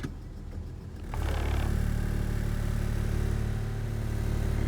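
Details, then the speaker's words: 1996 Toyota Avalon idling quietly in park, then a deeper, heavier drone and body shake once shifted into drive or reverse that goes away in neutral; worn engine mounts, which were then replaced. "is that now you can hear I'm like the car shakes back on neutral goes away put it back on dry neutral reverse ass back on park so you can tell that the motor mounts are need to be replaced"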